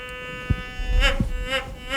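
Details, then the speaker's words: White's GMT metal detector in manual mode, a mineralized hot rock raised and lowered at the search coil: the steady buzzing threshold tone swells and warbles three times. A hot rock target response. "you can hear the rock is making a noise."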